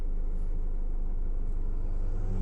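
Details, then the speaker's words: 2023 Renault Master 4 diesel van that would not start while in gear, even with clutch pressed; taken out of gear into neutral, key turned and it started. Smooth, even idle with steady low rumble, no knocks or misses; normal idle. "знімаємо машину просто з передачі ставимо нейтраль повертаємо ключ машина завелась"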